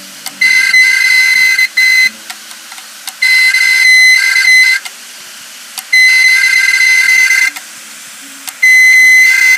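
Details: Seagate Barracuda 1.5TB 7200 RPM drive, about 2 years old, clicking and then failed. Cover removed and head moved by hand, giving loud shrill screeching bursts over a second long with clicks between.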